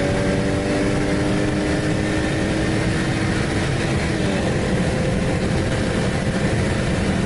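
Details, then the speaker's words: BMW with BorgWarner S366 turbo replacing a Precision 6466, running about 15 psi boost, coil pack misfire suspected at 23 psi; under load a thin turbo whistle rises and sweeps with revs, more than the old turbo; healthy spool. "turbo whistles a lot more than the precision ever did that's for sure"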